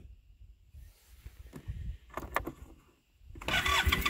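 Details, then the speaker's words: Arctic Cat Norseman sled after sitting overnight, with fresh gas and Sea Foam, so not a gas issue. The starter churns in uneven bursts after rerunning the pump, with no firing. Owner suspects a slow vacuum leak draining fuel from the cylinder, or the fuel pump. "well this is a variation of what I've been encountering so if we shut it off and we run the pump again it should fire right away nope come on brand-new gas in there yesterday so it is not a gas issue"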